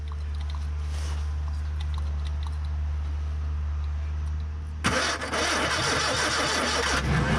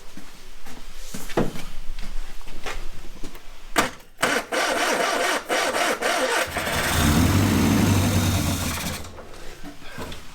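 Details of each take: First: Barn-find Ford Corsair 2000E V4, sat for years, cranking with throttle open after points cleaned and spark confirmed at all four plugs: starter turns slowly, under three beats a second, and never catches; battery flat, to be fully recharged. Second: Ford Corsair 2000E barn find, sat for years, after replacing a faulty plug lead that wasn't sparking and wiring the coil positive permanently: cranks, then catches into a steady, even low rumble, running about 30 seconds.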